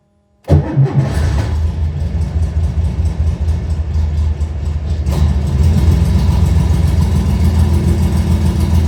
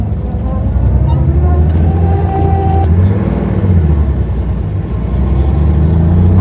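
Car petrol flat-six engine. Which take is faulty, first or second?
first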